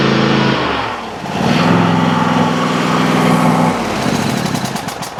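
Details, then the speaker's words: Riding mower single-cylinder engine after the choke linkage was corrected so the engine fires right up: it pops along unevenly at about three beats a second with a rough chuffing note. It sounds like a blown head gasket but runs fairly well. "And it runs pretty darn well for what it sounds like is a blown head gasket here anyway."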